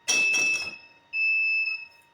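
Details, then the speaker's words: Automatic LPG gas burner control panel repeatedly failing to light, still failing after switching the burner switch off and on to reset; loud high half-second repeating beeps from the controller signalling ignition failure. Owner suspects no gas flow, checks regulator. "Itu switch burner saya matikan, saya nyalakan lagi untuk restart ya, untuk reset. Ternyata masih gagal itu ya kan."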